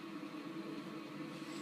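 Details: 2013 Carrier Infinity Series furnace in an attic, starting up: steady even rush of air over a low constant hum, no knocks, rattles or squeals; running normally.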